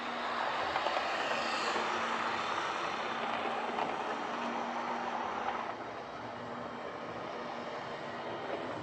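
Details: Old Lima Class 31 model locomotive in freight livery after overhaul with an extra pickup added on the front bogie, running on the layout: steady, even whir at constant speed, no stutters or dropouts; normal running.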